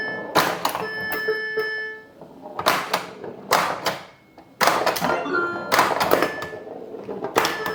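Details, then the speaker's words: Bally Paragon pinball, AS-2518-50 sound board after replacing one chip in a new socket: short groups of electronic chimes and tones with quiet gaps. The board produces sound again, though the game-over sounds seem not quite right. "But it makes sound, so we know the sound board works."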